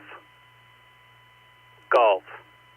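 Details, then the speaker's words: Icom IC-9700 ham radio on transmit: thin steady high-pitched whine with low mains hum under the transmitted voice, unchanged with audio settings; cause unclear. "Watch this whine. I'm going to key up. K6 Echo Golf. Listen to this whine here."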